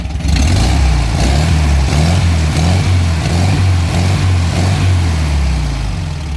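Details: VW Fusca 1300 air-cooled flat-four at a steady idle with a light rev after the intake manifold and carburetor bolts on the cylinder head were tightened. The even beat now has no whistle left on top, and the engine sounds healthy.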